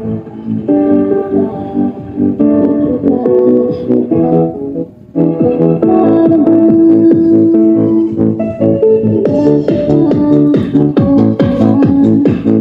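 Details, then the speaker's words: B-35 bass amplifier after repair, failed 2030 power amp IC replaced (previously only hum, no sound): clear plucked bass notes ring out cleanly with no hum or buzz; amplifier output normal. "Oh ayan bale naikabit na natin yan tumutulog na Kanina puro Ugong lang yan"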